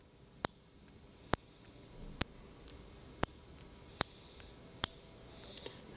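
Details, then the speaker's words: BMW F11 5-series air suspension not raising, both air springs already replaced: microphone on the compressor vent solenoid picks up seven sharp single clicks about a second apart as it is energized; solenoid sticking, suspected corrosion. "Now I noticed that in the video you could hear two kinds of clicks. A hard click, which I could also pick up with the naked ear, and a softer click when I couldn't hear anything at all, but only the microphone picked up"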